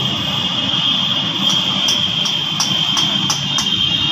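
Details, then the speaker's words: Yamaha FZ bike running: sharp ticks about three times a second over steady high whine and loud rattling; front sprocket loose on worn, cut output shaft. "देखिए दोस्तों ग pocket ढेला हो गया है F जड bike है बहुत ही ज्यादा कर कर की आवाज आ रही है"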